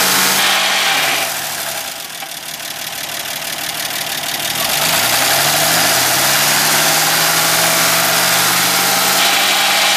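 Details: 1965 Ford Mustang V8 at idle: fast steady ticking of about four per second over a lumpy idle. Owner suspects a bad lifter and also reports a marble-like rattle at high rpm; cause unconfirmed.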